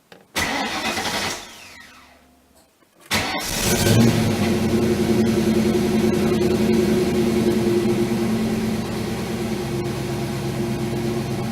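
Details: Ford Mustang that sputtered near empty on fuel, suspected fuel pump: starter whirrs, engine catches and settles into a steady, even idle without stumbling; it starts and idles fine.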